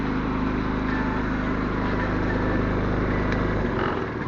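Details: iQ 3500 generic generator, previously no spark, now repaired: steady, quiet low hum idling under a 1500-watt load with slight surge shift near the end, carrying it smoothly; normal idle under load.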